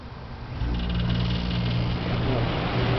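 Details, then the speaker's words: Refrigerator compressor in a homemade air conditioner, just switched on: a low, steady hum settles within a second with no knocking or rattle; the compressor runs smoothly. "the refrigerator compressor is performing is that right Mr Bombeck yeah it's right very good job and that that's nice very nice bomc smooth engine"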